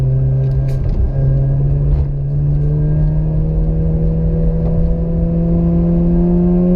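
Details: Mazda RX-8 rotary after rebuild: smooth, buzzy rotary note climbing steadily in pitch as it pulls through the revs, no stumbling or knocking; engine sounds healthy.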